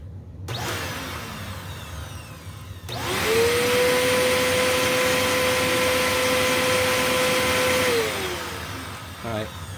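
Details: Eureka The Boss Capture bagless vacuum after repacking two brushroll bearings and replacing the broken belt, brushroll alignment being checked: motor spins up to a steady, clean mid-pitched hum and winds down; healthy, no rubbing.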